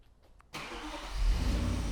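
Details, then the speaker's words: Vehicle remote-started from phone via Drone Mobile app; quiet, then short crank and engine catches cleanly, settling into steady even idle with no stumble, normal engine start. "the vehicle starts. Look, it doesn't get any more simple than this, okay?"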